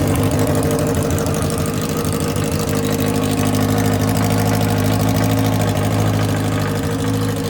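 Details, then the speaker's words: Kawasaki 1000 ATV V-twin, 76,000 miles, hot start, exhaust removed (straight pipes), airbox deleted, carbs rejetted: loud, raw, even lumpy idle with no muffling; runs smoothly. "all right guys if you didn't take the exhaust off you'd be crazy because why not have a straight piped video for this this should be uh pretty entertaining"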